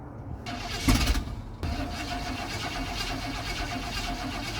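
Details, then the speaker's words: Brief cranking then steady churning that never catches, no start; owner thinks it just ran out of fuel, carb not filling, possibly wrong tank selected on the switchover valve. "So, I think it just ran out of fuel."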